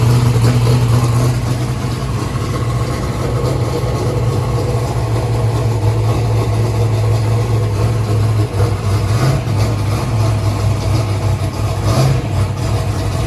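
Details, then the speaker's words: First start-up of a freshly built 427ci small-block Ford rated at 2500hp: a deep, steady V8 idle with an even lumpy beat of about three pulses a second, no misses or knocks. The engine runs normally. "all right guys we got it running good job guys awesome awesome awesome looks like we're going to be running at woo stop"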